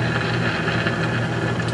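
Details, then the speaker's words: Philco 50-920 tube radio, after cleaning and burnishing the tube pins and wiping cleaner residue from the sockets: a steady low hum with rough hissy rush and no program. Still noisy, cause unknown. "okay let's try it again here sounds like I'm just still getting noise I"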